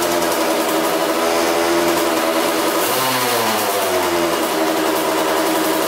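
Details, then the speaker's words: Kawasaki two-stroke dirt bike on a 40:1 mix with an aftermarket carb and a new fuel line, after sitting outside corroded. A crisp, even buzz that blips and returns cleanly, running strong; a coolant leak is still to be fixed. "sounds like it runs strong that's awesome"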